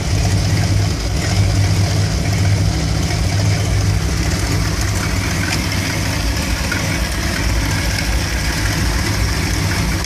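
The V8 idle has a low, uneven lope that wavers instead of holding steady, a rough warm idle with the cause not evident.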